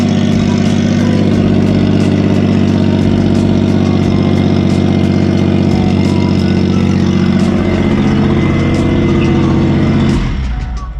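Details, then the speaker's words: Kei truck after a cracked muffler was patched with muffler weld: very loud, raw, blatting exhaust at a steady idle until shutdown, because the exhaust pipe had not yet been bolted back on. "would help massively if i had actually screwed the exhaust on let me screw the exhaust on and see if it's still that loud"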